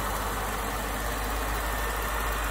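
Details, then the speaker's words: BMW 6 Series E63/E64 with N62 V8: very quiet, even idle at low revs with only a faint light tapping from the charcoal canister vent valve; no crankcase-vacuum-pump racket, engine sounds healthy. "but yes i'd be happy with this engine so far it's nice and quiet it's sitting still as i say the only tapping we've got is from the charcoal canister fence valve"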